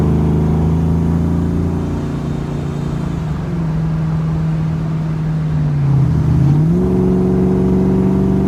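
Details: 1994 Ford Mustang GT convertible automatic, which shuddered badly before filter, gasket and fluid change. Hard throttle after service: steady pull and one clean shift, pitch drops then lifts, no shudder; normal transmission operation.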